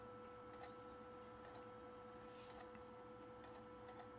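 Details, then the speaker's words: PlayStation 2 SCPH-39001 from a salvage lot, after laser adjustment (DVD side left alone), loading a game disc: steady spinning whine with a soft tick about once a second as the laser seeks; loads normally, laser judged good. "leave it alone she's loading it's loading pretty good actually"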